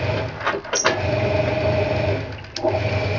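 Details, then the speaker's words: Hoover 200M washing machine, given away after sitting outdoors for weeks, dry-run live: steady low drive hum with light mechanical clunks as it cycles; the timer motor advances and the washer runs normally. "sounds like it's doing what it should the timer going time is doing what it should"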